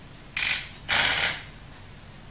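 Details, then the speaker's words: HELLA cruise control retrofitted to a Mk3 Ford Cortina, correcting slight speed drift: short crisp ratcheting click bursts, three in about two seconds, over a quiet background as the valve cycles to bring speed back; normal operation. "it'll be a little bit of drift on even on my kit you can hear that it's slowly back in the speed off you hear the clicks bring it back in"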